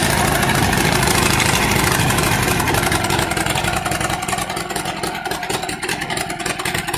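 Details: Allis Chalmers CA tractor after Marvel Schebler carburetor rebuild, first start, starts well with good oil pressure: uneven running with the beat stumbling and dropping out as it winds down; misfire with some smoke, cause not found.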